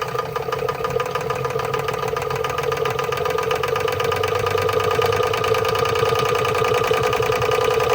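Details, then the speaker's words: Marklin 16051 twin-cylinder steam engine, running at low pressure before safety valve lifts: quick even chuffing about three and a half beats a second over steady mechanical hum; normal running. "Lovely. Look, runs on no pressure."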